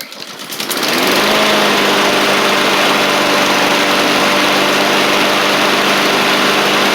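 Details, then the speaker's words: Husqvarna push mower with a Honda GCV160, in a final test on a cold January day after a part was turned the right way, plus a new oil filter, oil change and sharpened blade. It spins up within a second and holds a smooth, steady, high drone. Normal running. "So that seems to have fixed everything, which is good. Very happy with that and how it all turned out."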